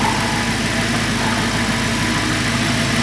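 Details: Audi R8 at idle: steady, even idle with smooth exhaust burble, no knocks or misses; exhaust, injectors and high-pressure pump sound normal apart from a separate oil pan noise.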